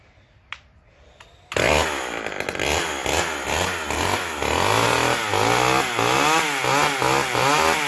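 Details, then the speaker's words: McCulloch Power Mac 6 chainsaw, first run since 1993–94 after carb and fuel system rebuild: fires and revs in uneven surges, runs strongly but needs more carburettor tuning; dislikes its soaked air filter. "Got some more tuning to do, but sounds good. Doesn't like that air filter."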